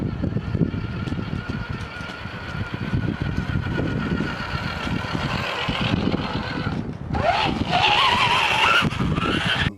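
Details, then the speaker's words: Axial RR10 Bomber RC truck after repacking the under-greased drivetrain with grease: steady electric motor whine rising with speed, previous clicking gone. "just did a quick run by just so you can hear that it's not clicking like it was from the pr previous video"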